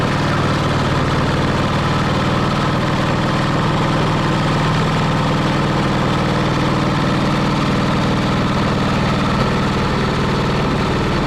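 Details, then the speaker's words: 1945 Caterpillar D7 3T abandoned about 40 years, first start: engine idles fairly evenly with a faint light tapping on the low drone, possibly slight internal knocking; fired right up. "It sounds like there's a little bit of knocking inside that engine, but uh I couldn't believe it. That thing fired right up."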